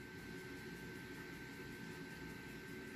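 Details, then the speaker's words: Small internal fans of OutBack 3048MT inverter/charger while pulling about 4.5 kW from a 3.5 kWh Ford Focus lithium-ion pack during a load test: quiet steady airy whir with faint constant tone; normal cooling fan noise. "listen to it just a little noise little fans inside is running"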